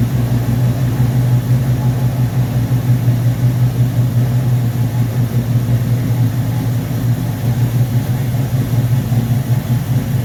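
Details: V8 first start after rebuilding a 1969 Corvette's Rochester Quadrajet carburetor 7029202 (ethanol-damaged fuel bowl cleaned), freezing cold day: steady low rumble with smooth lope, no knocks or misses; healthy idle.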